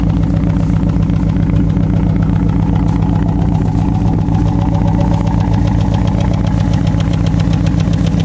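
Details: Chevrolet Cavalier at idle after fitting a used starter: fast, even ticking two or three a second from the front of the engine over a rough idle; owner suspects hydraulic lifters and plans to replace them; muffler also needs fixing.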